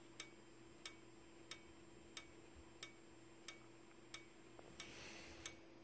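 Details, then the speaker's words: Simplex 4903-9219 strobe, 15 candela, 60 flashes per minute: sharp ticks about every two-thirds of a second over a faint constant high-pitched whistle from the charging capacitor; strobe and capacitor sound normal. "you can hear that high pitch whistling constant beep noise from the capacitor that's in there yeah you could hear the capacitor that's in it"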